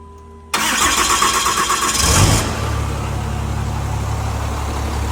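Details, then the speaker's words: 2008 Cummins diesel, fresh engine after major failure, first start after oil priming with injectors plugged in: short crank, catches at once and settles to a steady even idle, no knocks; 70 PSI oil pressure; normal start-up and idle. "I'd say that's the job well done D it right up and she's purring like a kit"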